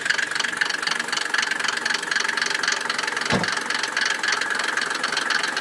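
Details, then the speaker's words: Mercedes W124 300d diesel, nearly 600,000 km, idling after oil top-up following low oil: light quick tapping from the top end, about four a second; hydraulic lifters suspected of no longer sealing, not confirmed. "Donc, le moteur claque un peu. Ça claque plus."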